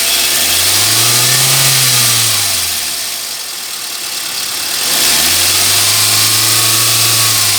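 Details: Swift petrol: engine swells through two rev rises and falls with a hissy whirring on top; abnormal engine noise, cause unclear.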